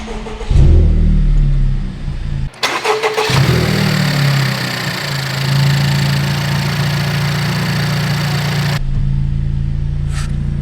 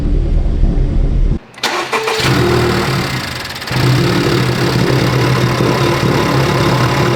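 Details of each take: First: 2019 Honda Civic Type R rebuild: after reconnecting an unplugged vacuum hose from intake manifold to valve cover, engine cranks, catches and settles into a steady, even idle with no stumble; runs properly. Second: 2019 Honda Civic Type R, wrecked, being rebuilt: it cranks, fires and settles into a lumpy, uneven idle with a hiss of air. The sound matches an earlier cracked intake manifold; vacuum leak at the intake manifold.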